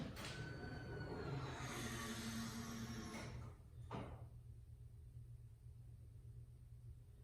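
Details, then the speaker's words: Datsun 240Z with newly installed Holley dual 450 LPH drop-in fuel pump kit and smaller tank, ignition on: steady electric hum and whir about three seconds then clean cutoff, normal prime; pressure builds and holds much better than before. "So there's pressure. £25. And that's holding pressure way better than that other deal was."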